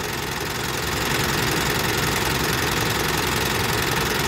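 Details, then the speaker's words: Mitsubishi Triton GLS diesel idling with check-engine light on: quick, fairly even ticking, about three or four a second, over the clatter; valves sound crusty and need adjustment. Loose battery terminal suspected for the warning light, unconfirmed. Valve tappet noise. "Teman-teman dengar suara engine valve-nya kerak gitu ya."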